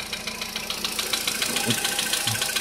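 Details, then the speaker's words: 2014 Volkswagen Polo Sedan, knock began near 44,000 km after two years on the same oil, before warm-up: light, fast, even ticking at about seven a second over a steady idle; source unknown, hydraulic lifters suspected. "Может, кто определит, подскажет. Вот стучит вот откуда-то,"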